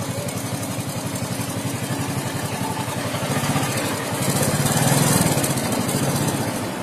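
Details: Suzuki Shogun 125 small single-cylinder at idle and when revved: light metallic chatter (kemricik) over the beat that swells with throttle, from a worn, slack cam chain (rantai keteng), before replacing the cam chain.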